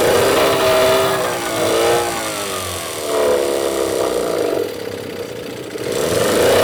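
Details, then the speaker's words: Yamaha 8C two-stroke outboard bought from Japan, first run straight after unpacking with nothing serviced: buzzes and revs unevenly, no water from the tell-tale, only exhaust gases; no cooling water flow, pump suspected blocked or failed. "нет охлаждения у него нет идут газы из контрольки"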